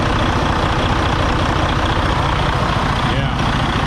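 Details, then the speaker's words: 2017 Freightliner Cascadia DD15 diesel, about 800–900k miles, customer adding coolant and reporting blow-by, deleted under a year ago: loud idle lopes and thumps unevenly, running really rough; liner number 3 failed, over-fueling injector. "Definitely running really rough, man, really rough. All right, guys, so you can hear that. It does not sound good at all."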